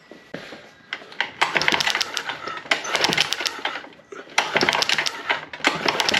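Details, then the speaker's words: Mercury 6 hp four-stroke single-cylinder outboard, mid-rebuild, with a spark tester fitted, pulled on the starter: bursts of sharp, rapid snapping clicks with each pull. Strong, solid spark, so the power head is good. "And you guys can hear it sparking. I don't know if you guys can see it, but the engine does have good spark."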